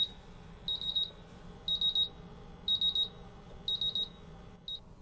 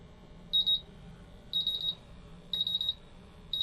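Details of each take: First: MultiRAE gas detector, PID sensor bump tested with isobutylene gas: the sensor goes into high alarm quickly and high triple beeps repeat about once a second with vibration and flashing LEDs, so the sensor passes its bump test. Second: MultiRAE gas detector bump test using a calibration adapter and gas cylinder. Rapid high-pitched beep bursts about once a second as all four tested sensors reach at least low alarm.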